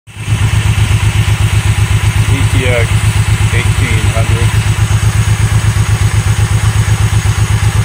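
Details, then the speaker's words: Honda VTX 1800N V-twin keeps running after key/kill switch off, sounding like dieseling, because starter solenoid stays engaged and spins starter; even lope about four beats a second; tapping solenoid stops it; fixed with generic lawn-tractor solenoid. "Continues to run. Continues to run. It's the solenoid. You vote the solenoid a couple of times and it turns off."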